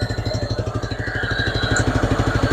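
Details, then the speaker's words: Petrol car engine at idle stumbling badly with a lumpy, pulsing beat about five times a second, engine visibly shaking; misfire verified before diagnosis with codes, power balance, vacuum, compression and leak-down tests; misfire and rough idle. "how do you guys know it's misfiring stumbling real bad you can see it it's moving you can even hear"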